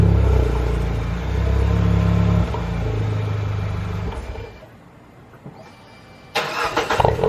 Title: Barulho estranho no motor THP #Shorts#